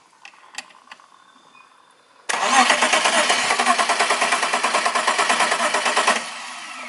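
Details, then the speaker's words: BMW E36 petrol car: about four seconds of brisk, even cranking with no firing. Cranks but won't start; fuel pump suspected (weak pressure or failed pump), to be checked via injector 12 V standby voltage. "Biasanya kalau seperti ini kendalanya yang mati adalah full pump, dari dia tekanannya lemah atau full pumpnya yang rusak. Kadang-kadang dia bisa, kadang tidak."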